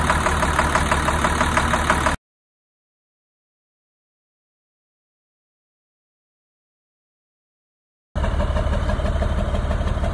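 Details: 2002 Navistar DT466E diesel idling with a hard, regular knock about three times a second from an injector stuck open; exhaust smoke, possibly no fault codes; all six injectors replaced.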